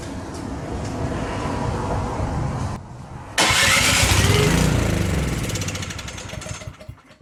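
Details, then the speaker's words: Canadiana snowblower with a Briggs & Stratton 800 series engine that came in with a no-start. With the key in and choke off, it catches and runs rough for about three seconds on quick-start spray, then dies. Stale fuel in the carburetor; carb removal and tank draining planned. "we got spark, we got some compression for sure, because it wants to run, but it's only running on the quick start fuel. So I am going to get this carburetor off, empty out this fuel tank of this nastiness,"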